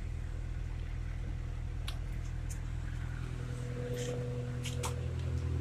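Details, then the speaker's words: Honda Civic with a B20B engine, first start-up after an SRS catback exhaust was fitted: a deep, smooth exhaust note rises and falls evenly with the revs, with no rattles or leaks. Much quieter inside, and it sounds healthy. "alright first start up since new exhaust Wow way quieter inside it sounds good I like it"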